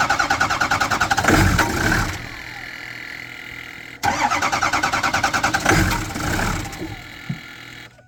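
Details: 2007 vehicle with a 6.0 engine: starter churns in two long bursts at about three beats per second but the engine never catches; crank, no start.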